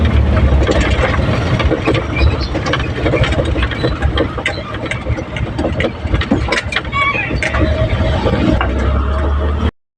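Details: Isuzu 4HL1-1 diesel after hard-starting and low-power problem was solved: steady, even diesel clatter with a firm low rumble at idle, no misses or knocks; normal diesel idle.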